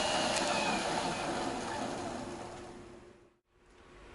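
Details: Bag-hauling golf cart on new 4s15p 18650 lithium battery at high speed position via remote: steady electric whir with thin constant tone fading near end; motors running normally at high speed.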